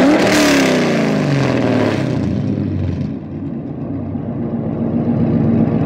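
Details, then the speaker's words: LS V8 swapped into an FD RX7, parked free revs: sharp rev climbs and drops back to a deep, even burble with no knocks or misses; healthy engine. "oh man how can you not like that rotary and turbo's cool but this is easy i like that easy sometimes it's good too"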